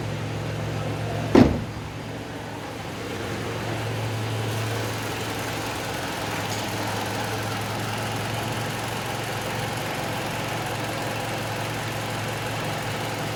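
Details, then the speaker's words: 2012 Toyota Camry after repairing a misfire, running about an hour: one brief knock at the start, then a steady, even low hum with no stumble; idling smoothly. "अब आप देख सकते हैं कि इतने smooth खड़ी हुई है गाड़ी की"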